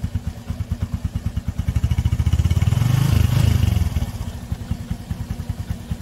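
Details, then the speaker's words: Yamaha Sirius Fi fuel-injected motorbike, started after its flat battery drained overnight by the key left on: even single-cylinder thumping that rises with a throttle blip and settles to steady idle with no missed beats; runs normally. "chạy đó bạn nghe hết xe chạy bình thường đó"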